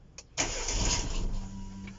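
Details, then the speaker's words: Opel/Vauxhall Corsa petrol engine, first start after shop engine build with vacuum leaks found: cranks, catches, runs briefly with a little stumble, loud pump, then sags; won't hold idle without throttle assist. "She does that. Then you have to assist to idle. Like you have to help it."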